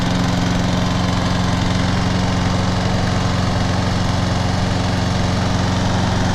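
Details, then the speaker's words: 2009 John Deere JS35 21-inch mower, electric start, unused this year, battery recharged overnight, started before an oil change: steady, even single-cylinder drone at constant speed with no misses or knocks; running healthy. "All right. That sounds much better today."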